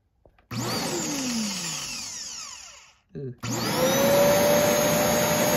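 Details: Shark DuoClean vacuum, water having come out of it, motor reportedly iffy, with a possibly sticking switch: motor whirs up to steady high whine, cuts out briefly, then restarts cleanly and holds an even pitch; normal vacuum motor run.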